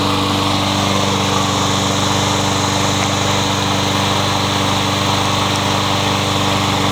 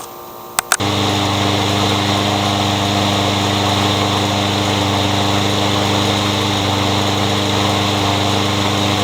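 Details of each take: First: Troy-Bilt 21-inch self-propelled bagging mower, blade previously hit a railroad tie; after flywheel key replacement and reassembly, steady, even single-cylinder buzz at constant speed with no surging, knocking or misfires: good runner. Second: Curb-found Troy-Bilt 21-inch self-propelled mower with a newer Briggs engine, blade having hit a railroad tie: starts, runs rough and uneven at three to four pulses a second, backfiring; owner plans to check timing and feels the blade hitting underneath.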